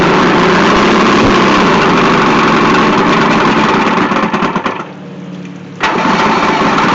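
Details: Vintage 1972 Mercury 1150 (115hp) outboard on a Slick Craft, unstarted for a week or two, quick cold start before a sale: catches and runs a steady beat of about three pulses a second, dips briefly, then idles cleanly; normal cold start.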